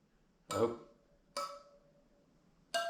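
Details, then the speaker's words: 1976 Honda GL1000 Goldwing spoked wheel, right side, spokes tapped with a 6 mm wrench starting at the valve stem: most ring out clearly, a duller, shorter flat note marks a loose spoke to tighten; wheel about 50 years old. "And what you need to do is you need to tap the spokes with your wrench. And you hear that ring,"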